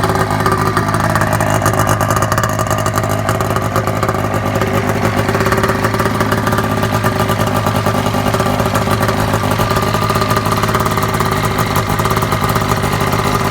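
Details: Gen 3 Triple E with a two-stroke snowmobile twin, idling fast. Steady burble with a raspy, spitting chuff at the muffler, which is loosely set on, not packed or riveted: an exhaust leak around the muffler.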